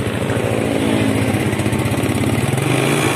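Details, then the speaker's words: Yamaha Mio scooter, cold engine, heard at the exhaust: uneven puttering stumble, dies if throttle forced, hard to start in the morning, fine when hot; suspected carburetor vacuum/needle jet passage. "seperti itu ya tiga Syawal Brebek dan jika dipaksa di gas malah mati tapi jika mesin sudah kondisi panas maka tidak terjadi masalah ini saat mesin dingin saja"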